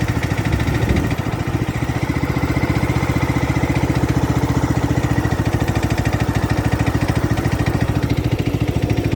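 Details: Craftsman LT2000 lawn tractor, unused since about 2013–2014, running after an oil change with a new transmission pulley fitted. Steady single-cylinder thump at an even beat, no slipping or clatter from engine or drive: normal running.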